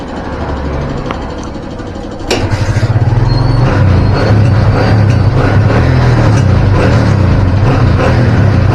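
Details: Kawasaki Barako 175 single-cylinder that was hard to start and noisy, after carburettor cleaning and tuning: a steady, even idle of about three beats a second with the air screw set at 6.5 turns for the highest RPM and the idle then lowered.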